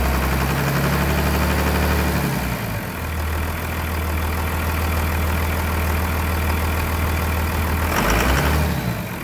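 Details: 1999 Cummins diesel after a new Thoroughbred Diesel injection pump, injector lines bled, on a frigid winter day; even, low idle with a steady beat and no misses or knock, idling normally.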